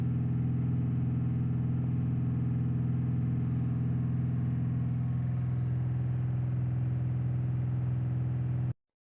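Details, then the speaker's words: 2015 Audi A6 TDI diesel, parked 3 years, blocked DPF, turbo leaking oil into DPF: held at raised revs with heavy smoke, lumpy uneven beat and hunting speed before cutting off; misfire with surging revs, attributed to turbo oil. "the um accelerator the rev count is uh fluctuating up and down uh almost like it's trying to run away with itself so from the oil getting through on the turbo"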